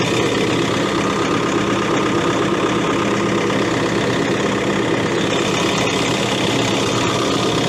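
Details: Case CX80 excavator diesel, throttle set to idle: a dense, even rumble at steady low idle with no surging, whistle or knock; sounds healthy.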